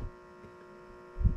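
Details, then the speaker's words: Costco fan powered by an EGO 150W inverter: a steady electrical hum with a clear fixed tone and buzzy overtones; on the Ryobi 150W inverter the hum is lower. "and you will hear a sun a humming sound like this one"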